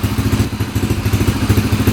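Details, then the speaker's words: 2003 Yamaha TTR125 dirt bike after knock repair: quick, even single-cylinder putter at steady idle, no clatter or knock, really quiet; healthy normal idle, needs break-in, owner may richen fuel screw slightly. "it just needs to be broken in a little bit sounds pretty good might adjust that uh that fuel screw a little bit out more allowing more fuel in nice and quiet engine that's really quiet"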